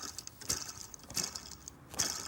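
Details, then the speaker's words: 2011 Hyundai ix35 G4KD, 153,000 km, auxiliary drive idler pulley spun by hand off the engine: a dry, gritty rasp swelling roughly every three-quarters of a second, while the factory one is quiet; worn idler pulley bearing. "то же самое шумит вот такие вот Судя по всему заводской не шумит поэтому делайте сами выводы"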